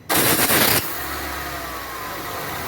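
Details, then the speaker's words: Peugeot 207 starting: harsh, violent clattering bang through the short crank, then a settled idle; the starter motor was found loose, held by only one bolt. "Com um barulho muito forte aqui no motor de partida, ao ligar. Quando ligava, dava aquele soco, aquele barulhão todo. E tiramos o arranque e verificamos que ele está preso, galera. Estava preso só com parafuso."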